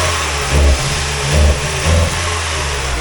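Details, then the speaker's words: 2002 Mazda Miata 1.8L, 6-speed, 200,000 miles: revs rise in short bursts then sag and fall back three times in a few seconds, won't rev; stumble from misfire, owner suspects a dead cylinder, not confirmed. "See it just right there, it won't rev. Now she won't rev at all. There she goes."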